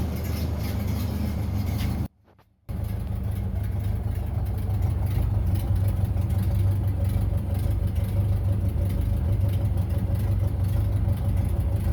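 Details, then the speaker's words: 1930 Ford Model A barn find, first drive in 40+ years after head gasket replacement, new wiring harness and oil pan cleaning; steady low four-cylinder chug with even beat, no knocks or misses, running normally. "finally out 40 years way out and running got it out for a little spin today"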